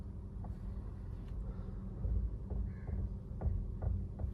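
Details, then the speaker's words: 2017 Maruti Baleno: faint irregular chik-chik clicks from the steering while turning at a quiet idle, and the steering feels slightly tight turning left and right; the electric steering column is faulty. "ആ ബലൂണിൽ complaint എന്താണെന്ന് വെച്ചുകഴിഞ്ഞിട്ടുണ്ടെങ്കിൽ ഒരു സ്റ്റിയറിങ്ങിന് ഒരു ചിക്ക് ചിക്ക് ഒരു noise ആണ്"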